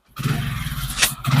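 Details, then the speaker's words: Hero Honda Splendor Pro single-cylinder, after valve adjustment only to cure valve tik-tik sound, engine guard off: short, smooth, even idle with no top-end ticking; original sound restored, normal idle. "இப்போ பாருங்க, engine வந்து originality sound வந்துச்சு. அருமையாக ஓடுது, எந்த ஒரு சவுண்டும் வரல."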